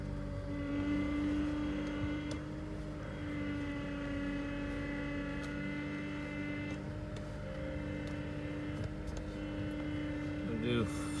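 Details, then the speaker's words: Cold January, 2012 Honda Accord SE 2.4 K24, after replacing VTEC spool valve gaskets and power steering pump suction O-ring: steady mid-pitched whine over quiet engine while turning wheel; air in power steering system, bled by lock-to-lock turns. "Give the steering wheel a little turn. Uhoh. We might have to Work some air out of the system."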